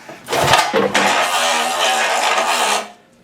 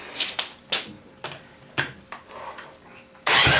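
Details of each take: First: 1972 Evinrude 18 hp Fast Twin outboard, sat for years, very salty and rusty, no electric start: a short tug then a slow, dragging recoil pull with rough rasp, no spark or firing; stiff, sticky recoil starter prevents spinning it over. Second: 1972 Evinrude 18 HP Fastwin outboard that sat for years, dry compression test of the bottom cylinder with nothing squirted in: fast, even cranking pulses, each strong and alike; reads about 119 psi, good compression.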